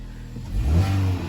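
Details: 2018 Opel/Vauxhall Mokka with P0300 random misfire and stutter on snap throttle, after clearing codes and running as unburned fuel clears as smoke: engine blips up cleanly and settles to steady idle, no stumble; normal revving.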